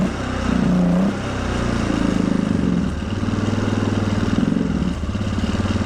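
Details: 1997 Polaris Sportsman 500 single-cylinder, rebuilt carburetor, started cold with choke now off: idle thump keeps climbing and surging with no throttle input; owner suspects an air leak, then a fault in the throttle itself.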